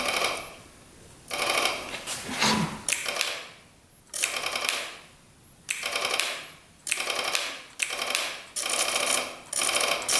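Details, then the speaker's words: 1991 Kawasaki Vulcan 1200cc motorcycle with no voltage reaching the starter peg: repeated bursts of rapid, dry clicking without cranking, starter solenoid most likely the culprit. "You can hear it clicking now, that solenoid. Well, it looks like our solenoid is most likely the culprit."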